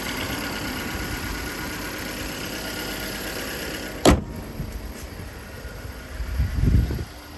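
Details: 2010 Ford Flex Limited AWD EcoBoost with an AEM cold air intake, odometer almost 309, hood open: a steady, even low idle with no knocks or misses, then a door or hood thump. Normal, healthy idle.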